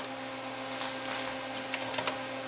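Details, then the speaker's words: 1984 Sony CDP-40 CD player after repair of the tray/clamp mechanism: small motor hum and soft clicks as the tray opens cleanly without slipping, then loads and spins; normal tray opening, plays music. "trays open play it loads up just spins and we have music"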